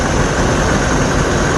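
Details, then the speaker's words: 1986 Ford F150 straight-six idling smoothly after water pump replacement, steady even low rumble with no knocks, ticks or wobble; runs smooth, normal idle. "dude that thing runs smooth man can't beat it"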